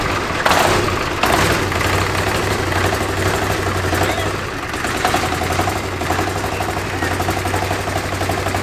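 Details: China-made 1300cc diesel V-twin for a go-kart, first run strapped on a table: loud even clatter with steady lumpy twin beat, picking up cleanly and responsively with throttle; running well.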